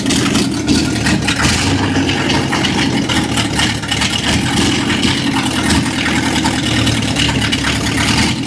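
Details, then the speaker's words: 1955 Chevrolet truck, just started after cranking attempts: loud, ragged idle with uneven stumbling beat and no steady rhythm; runs on about six cylinders, missing a cylinder or two suspected, cause unconfirmed. "All right, it runs. runs on about six cylinders."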